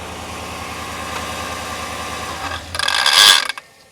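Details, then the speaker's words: Idle runs on, then sharp metallic rattling clatter right at shutdown; failed alternator one-way overrunning clutch pulley, after skipping and rough running were already fixed. "This is what's causing the noise. So this has got a one-way clutch pulley on the front."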